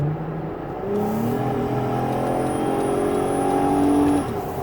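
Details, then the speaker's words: 2012 Dodge Grand Caravan wheelchair van, about 1,000 miles, on a test drive: a smooth, even engine note climbing steadily in pitch up to about 70 mph, no knocks or whine; healthy engine and shifting. "I always like to get the vans on a test drive so you can hear the engine run you can see the transmission shift or hear it shift get this to highway speeds"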